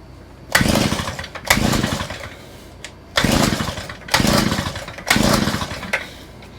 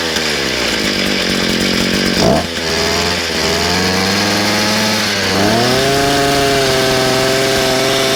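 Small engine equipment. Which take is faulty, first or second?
first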